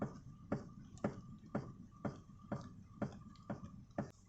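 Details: Toyota Verso steering column: sharp, regular knocks about twice a second as the wheel is turned left and right. Several services blamed the rack, column or joints; the cause was a loose steering shaft nut.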